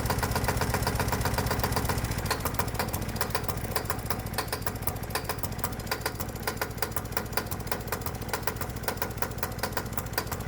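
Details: Low-compression gasoline lawnmower engine warmed up, mixture leaned, then run as hot-bulb semi-diesel on gasoline with spark plug disconnected: hard, sharp knocks on every firing at a steady quick beat; harsh self-ignition knocking.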